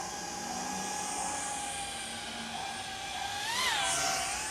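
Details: 4-inch dual-purpose FPV quad with an O3 air unit, flown in air mode: high, even motor whine bends up and down in pitch with throttle, smooth with no roughness. Normal flight.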